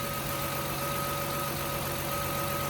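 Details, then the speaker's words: 1999 Toyota Sienna after power steering pump reinstalled and oil-leak cleanup: smooth even idle, belts quiet with no squeal (squealed a lot before), light steady injector ticking audible; normal idle. "The belts are smooth, real quiet. You hear the ticking of the injectors. I don't know if you guys can hear it, but I can hear it. And that's what you want to hear."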